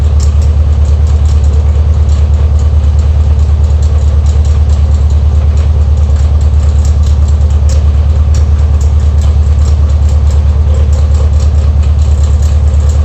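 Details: Air-cooled VW Beetle (Type 1) engine at idle: loud steady idle with even clatter a bit over once a second, abnormal noise from near the alternator pulley; cause suspected, not confirmed.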